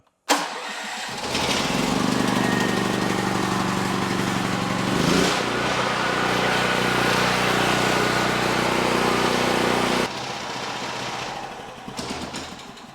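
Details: Small engine with fuel on and oil checked, just after a broken spark plug recessed in the head was extracted. Pulls over, catches quickly and runs evenly for several seconds before shutoff, a healthy start.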